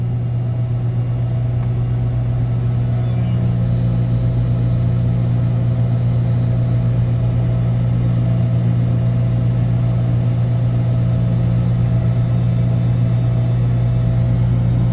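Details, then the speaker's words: Screw chiller circuit one after a low discharge superheat alarm, fixed by recalibrating badly offset sensors; deep steady hum, even low drone, no knocks, rattles or surges, discharge superheat now good and making cold water: normal running. "the discharge super eats nice now making some nice cold water"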